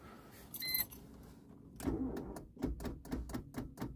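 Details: Golf V with flat battery: quick light clicks, four or five a second, no cranking; flat battery chattering the starter solenoid before testing a micro jump starter.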